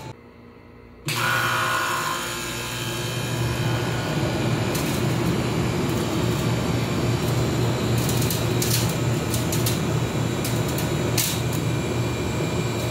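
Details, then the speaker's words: Air conditioner that was not cooling, after its bitten wires were taped and it was reinstalled: a brief quiet start, then the compressor kicks in with a steady low hum and even whirring, and it cools again; normal running. "So ayun, tumutunog na yung compressor. Yan yung palatandaan na gumana."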